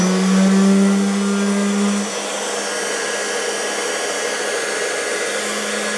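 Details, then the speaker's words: Motor from an estate-sale unit: steady hum with a low tone dropping after two seconds and rough hiss behind it; owner concludes the motor bearings are bad. "yes I don't really think we need to go any further to know that the bearings in that motor on the one I got for 35 bucks"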